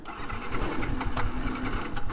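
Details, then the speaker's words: Yamaha FZ motorcycle that won't start though it started on the ride over; owner shuts off the fuel and waits for fuel to drain down. Uneven starter churning for two seconds without catching; cranks but won't start, cause unconfirmed. "അപ്പോൾ ഇന്നത്തെ video നമ്മുടെ FC ആണ് കേട്ടോ. അപ്പോൾ എൻ്റെ സ്റ്റാർട്ടാവുന്നില്ല ഇത്."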